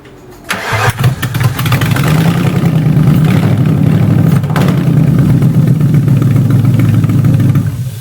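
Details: V8-swapped BMW E30 drift build, first start-up of the new engine after priming the fuel pump: short crank, then the V8 catches cleanly and settles into a steady, even, deep idle with no knocks or misses.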